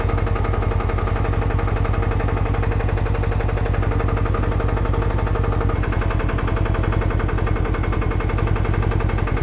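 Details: 2021 Can-Am Ryker 600 at idle: a rapid, even rattling knock rides over the deep idling engine, steady with no change in speed.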